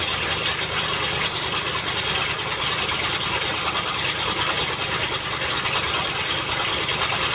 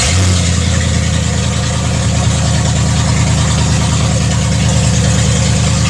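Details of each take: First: Land Rover Discovery after transmission reinstall (transmission ruined flat towing): raspy, spitting, unmuffled roar at idle with uneven puffing; exhaust leaks badly where someone cut off the catalytic converters, owner plans to patch it together. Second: Land Rover Discovery idling while warming up after transmission reinstallation and refill, serpentine belt refitted, transmission limp-mode lights no longer flashing; deep steady even rumble with no misses, knocks or surging.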